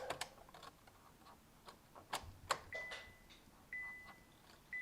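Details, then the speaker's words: 2011–2015 Kia Optima 2.4 L GDI after valve cover gasket replacement; key cycled on and off twice before starting, faint clicks and brief electric hum as the fuel pump primes: normal fuel pump priming clicks. "turn it off and then start it it should start and then we're going to look for leaks so let's go ahead and do that come in here i'm gonna turn it twice kind of hear some"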